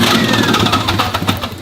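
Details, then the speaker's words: Cheap used car with metal on the oil dipstick: short, uneven run with choppy pulses that fade as it stumbles under a little gas; owner suspects internal engine damage, unconfirmed. "That does not sound good. Now, why would such an honest, hard-working man lie to me about an engine?"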